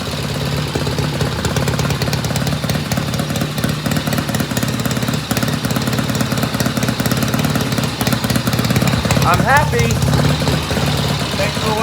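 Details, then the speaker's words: 1972 Norton Commando Combat twin after new 3-phase rotor and stator install and refitted clutch plates: steady, even idle with a light tinny rattle on top, said to be just the stator; engine runs fine. "Man, this bike sounds so good. I guess I know my first stop is the best. But you can see them. Right. And that noise we're hearing is just the rattling on the Stator."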